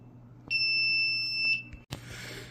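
A single steady high-pitched beep lasting about a second: a trouble signal that new batteries didn't clear, coming from the linked main panel.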